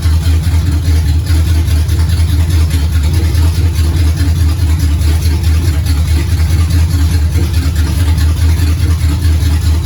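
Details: 1969 Pontiac GTO barn find with a 400ci V8 and a TH400 that needs rebuilding, run on a makeshift dash setup: deep, even V8 rumble with no knocks or misses. The engine runs healthy.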